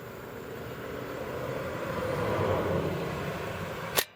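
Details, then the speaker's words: Brand-new Kubota BX2380 tractor, 3.9 hours, that shut down and won't start; key turned: steady hiss builds then one crisp click and quiet, the fuel shutoff solenoid switching normally, so cause still unknown. "it comes back so that that appears to be acting fine for the fuel shutoff valve or is being on and off"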